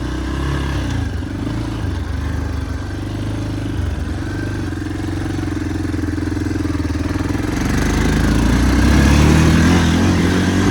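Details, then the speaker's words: Yamaha Big Bear 350 ATV on a test ride after replacing a trashed carburetor intake boot: steady single-cylinder beat that picks up cleanly with throttle, smooth, no misses; runs healthy and powerful. "this thing has some power I'll give it that I mean it is a 350 it is a 100 times better with that new car boot"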